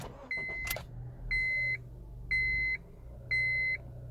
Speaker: And so this time, it continues to run because it was able to detect some element within the electronics.